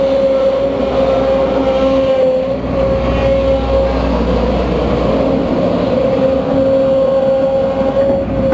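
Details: Case CX210B excavator: a steady mid-pitched whine over the rumbling engine holds under work, and the machine turns weak and growly after about 5 minutes; suspected noisy, worn hydraulic main pump, not confirmed.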